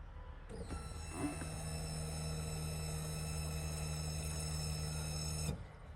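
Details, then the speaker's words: Low-pressure fuel pump on a single-turbo car, wired through a solid state relay; voltage drops at the pump and the owner suspects heavy amp draw or a dying pump. Steady high-pitched electric whine with low hum about five seconds, then cuts off; fuel pump squeal. "I'll play a little clip here let me know if you think it sounds like it's dying"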